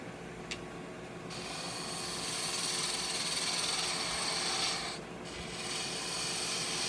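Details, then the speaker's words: Wood lathe turning a scrap-wood bottle stopper cap, gouge cutting with tailstock still in place: even, airy shaving hiss with no chatter or catches; clean cut. "nice easy slices all of the tail stock still in place"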